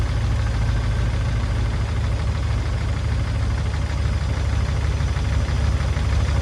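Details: P38 Range Rover engine at idle, warming up after sitting all winter, oil changed with Liquid Moly and Rislone added: lifter ticking and faint irregular knocking, loudest on the right side, quieter at first start; owner suspects a sticking valve or lifter.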